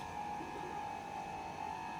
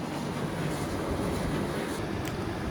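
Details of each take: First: Indesit IDC75 condenser tumble dryer running: a steady, high humming drone that has only just developed and is louder at the back; the owner suspects the pump. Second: Indesit IDC75 condenser tumble dryer whose noise had recently developed: after the condensate pump system (pump to the top tank) was serviced and refitted, it runs with only a soft, even hum and airflow, and the noise is gone.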